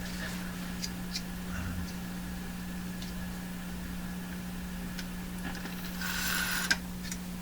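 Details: Canadian Westinghouse Model 577 radio under repair by signal tracing, after lubricating a spring contact: steady low hum with scattered sharp crackles and ticks; scratchy intermittent noise, likely a poor contact in the tuning section.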